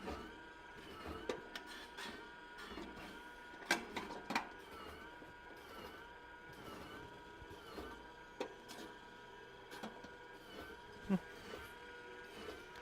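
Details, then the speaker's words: Skywalker V1 coffee roaster with HiBean, first roast, 200 g beans dropped at about 205°: drum turning with irregular scrape and occasional clacks over steady motor hum; likely a loose drum, needing the three rear bolts tightened. "When you hear that kind of scraping noise, you more than likely have a loose drum. So there's 3 bolts in the back that you need to like fix."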